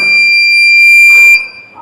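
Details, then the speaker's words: Homemade soil moisture detector: silent with its probes in dry soil, then a steady, shrill buzzer beep of over a second when the probes are pushed into wet soil, signalling moisture detected. "इसके बाद सब इही प्रॉड को जिसम मचर नवी है मिट्टी उसम डालेंगे देखा आप लोगों ने आपको कुछ सुनाई दे रहा है कि नहीं दे रहा है इसमें बीप की आवाज आ रही है"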